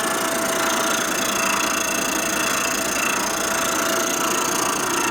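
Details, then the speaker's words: Boring a 1946 Harley Knucklehead 84ci stroker cylinder, bit offset to cut about 20 thousandths on one side: harsh uneven chatter with a pulsing rhythm, heavier on part of each turn, cutting on one side only. "only you can hear it cutting on even so we removing metal 20"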